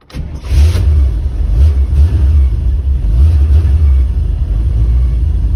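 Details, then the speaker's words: 1985 Chevrolet Corvette C4 after sitting under snow, fuel pressure gauge fitted: labours to start, uneven surging rumble that sags and won't idle; pressure 20 at key-on, 40 running, drops quickly after shutoff; hard start, will not idle. "so as you can see the needle jumps up to 20 when i turn the key on and then it wants to go to 40 when it starts but it doesn't want to idle"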